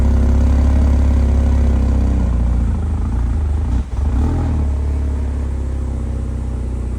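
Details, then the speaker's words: 2025 Ram RHO idling after a remote start: a deep steady idle sags and almost dies, then recovers, an intermittent rough idle that recurred on a road trip; there is an intake sensor code and the owner suspects the MAF sensor or a misfire. "It's almost like the truck wants to die a little bit. It did this several times when we were on a road trip."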